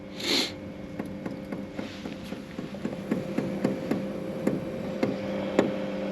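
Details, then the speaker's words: BougeRV diesel heater test-fitted to a Chevy van on a 20°F day: slow, even ticking a little under two per second. The fuel pump is priming normally. "Fuel pump's starting up. You can hear it there. It's almost like it primes cuz it runs kind of slow."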